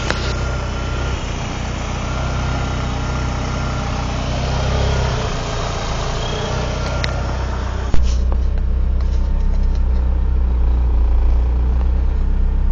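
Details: 1995 GST engine idling rough: uneven, lumpy idle with a wavering low beat that never settles; cause unknown.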